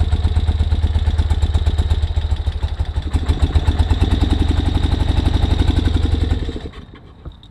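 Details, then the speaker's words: 1973 BMW R75/5 motorcycle, unused about 8 years, electric start with chokes off then on: uneven, lumpy, lopsided idle that sags before dying. Misfire with one cylinder dead, found by feeling for the cold exhaust. "Alright, so it's missing on one cylinder. I got to find out why."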